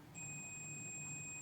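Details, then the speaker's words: BTS7960 DC motor driver board: multimeter continuity beep steady over a second, output pads with vias connected directly to uninsulated heatsink, dead short, only heatsink coating separating outputs. "Is direct short. Wow. So the only thing that's prevent these two of shorting to each other is the coating of the heatsink."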